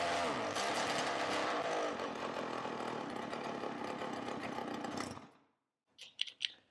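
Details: Roughly 20-year-old 50cc two-stroke mini moto engine with a new homemade 25 mm exhaust pipe: sharp buzzy two-stroke note runs steadily about five seconds, then cuts off cleanly; running properly again.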